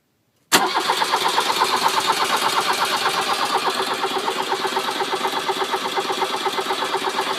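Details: Volkswagen Vanagon 1.6 diesel cranks steadily, about three compression pulses a second for seven seconds, after glow plug light goes off, without firing; won't start despite newly replaced glow plugs.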